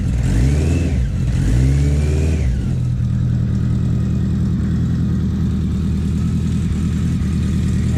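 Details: BMW K100 four-cylinder café racer build, freshly started for the first time after the wiring fix: revs up twice, then settles into a steady, even idle with no odd noises. Sounds healthy.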